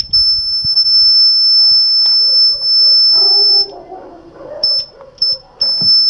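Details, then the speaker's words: Push-pull guitar tube amp using a 230 V mains transformer as output transformer, at high volume; piercing steady high whistle that cuts in and out; caused by the ungrounded transformer casing, fixed by bonding the casing to the chassis ground. "el silbido de este de consumo de volumen la parte que silva ya mucho volumen y fijar lo que he hecho para solucionarlo se conecta a una toma de tierra a la carcasa de transformador al chasis"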